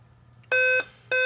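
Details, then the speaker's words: Dell Inspiron 15 5000 series model 5552 laptop at power-on: sharp high beeps repeating in cycles of seven while the backlight comes on but nothing else happens; Dell's 7-beep code indicates a CPU error. "so it's repeating seven beeps the backlight goes on but nothing else happens meaning it's getting power to the screen something's happening so it's doing something now um what if you look it up what that seven beeps tells you uh is that there's a CPU error"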